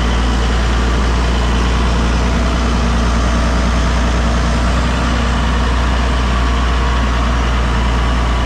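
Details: Massey Ferguson 6480 tractor diesel, idle after two years sitting and injector pump refitted: steady, even idle with a deep smooth beat, no knocks or misses; normal healthy idle.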